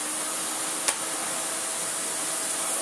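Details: 1990s Miele S228i vacuum, refurbished, running after cord reel replacement and new plug fitted, tested with its toolkit: steady high airy whoosh, faint constant motor whine, one handling click; motor runs smoothly and normally.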